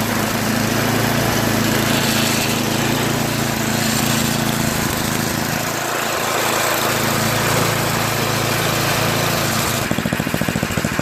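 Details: Yard Machines MTD 8HP 24-inch snow blower single-cylinder engine holding constant speed after its cracked oil breather overflow tube was cut and rerouted over the fuel line following an oil leak; steady beat, no surging or misses.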